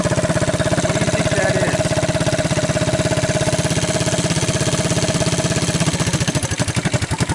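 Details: 1983 Honda ATC200 single-cylinder after a budget top-end rebuild with used cylinder, used rings, torn valve seat and no new gaskets: steady, even thump about ten beats a second, holding speed without misses; the engine runs fine.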